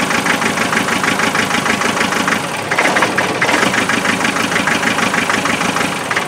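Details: Land Rover 2.5 naturally aspirated diesel idling with uneven, lumpy clatter and a stumble partway through, a misfire; thermal camera showed it cold at the back, injectors then checked for spray pattern.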